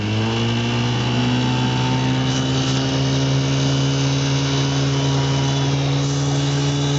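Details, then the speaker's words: 1958 Johnson CD-15 5.5 hp outboard pushing a 12 ft boat at about 11 mph with one person aboard; a steady, even buzz at constant pitch with no misses or knocks. Normal running under load. "movs along okay we do about 11 M an hour just me in the boat"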